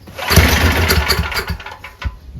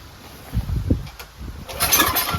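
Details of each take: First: Powerback 5000 W gas generator with a Tecumseh engine, after a new Hipa carburetor kit (filter, spark plug, gaskets) and adding oil. It starts on choke with no spray, catching at once with a few quick firing bursts: normal start. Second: Powerback 5000 W generator with a Tecumseh engine, before repair. It won't pull-start on gas alone and fires after ether. It catches in short bursts and dies, running at about 3/4 choke but stalling fully open; suspected dirty carburetor or old gas.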